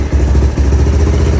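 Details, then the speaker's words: Early-1990s Kawasaki Bayou 300 after sitting, new carburetor fitted: low, lumpy single-cylinder chug sagging and stumbling at very low idle, engine dying; minimum throttle idle knob set too low, being adjusted. "So, it controls your idle speed. And right now, whenever I start it up, well, it's just dying on me."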